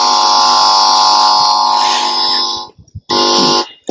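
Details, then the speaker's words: Amplifier check on a JVC 3-in-1 CD player being converted to Bluetooth: holding the amplifier input wire produces a loud steady hum from the speaker that cuts out in bursts when released; the low-voltage amplifier is working. "మనం ఆ sound కూడా వింటున్నాము. Humming sound అంటారు దీన్ని. So మన యాంప్లిఫైర్ని check చేసుకోవడానికి just ఒక వైర్ని పట్టుకుంటే ఆ సౌండ్ ప్రొడ్యూస్, అది యాంప్లిఫైర్."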